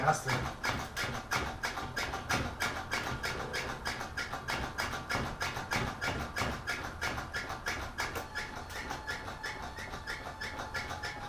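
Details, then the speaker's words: Rebuilt carbureted Toyota Corolla, first start attempt: steady unbroken cranking about three beats per second, never catches; cranks but won't start, fuel not reaching carburetor suspected. "but it didn't work all rights take you forever for the gas eat up there so i'm gonna guess try to siphon some gas out into a cup or something pour it in there"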